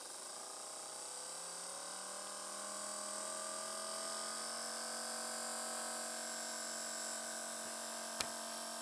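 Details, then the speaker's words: Small DC motor on a PWM speed controller (3-35V, 5A) powered from a 12V battery, turned up to about 6 volts: clean steady whine rising smoothly in pitch as it speeds up, then holding even; normal running. "that's about 6 volts and you can definitely hear the motor speed up"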